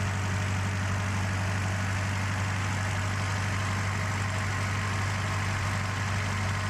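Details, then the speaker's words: 1931 Model A Ford four-cylinder, freshly swapped in and run in at 1200 rpm for 20 minutes: smooth, even low rumble at fast idle with no knocks or misses; running healthy, though a timing cover oil leak appeared afterwards. "Now, John Cook told us to run the engine at 1200 RPMs for 20 minutes, which we did. And did she run nice and smooth?"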